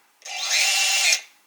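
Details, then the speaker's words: Eachine Wizard X220S racing drone, motors spun individually from Betaflight on the bench; high smooth whine rises quickly, holds about a second, spins down evenly; normal motor spin-up on a working motor. "And motor 3 is working. Motor 4 is working."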